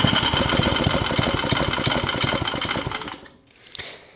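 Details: Vintage Tote Gote minibike being revived: small single-cylinder engine pops along at a steady, brisk idle for three seconds before shutoff; runs fine.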